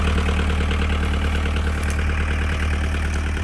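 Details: 1998 JCB 208s (1CX, US version) diesel skid steer/backhoe loader idling after injector pump rebuild (pump had been found clogged, machine wouldn't start): steady low diesel idle with an even beat near three per second, no misses or knocks; runs smooth and healthy.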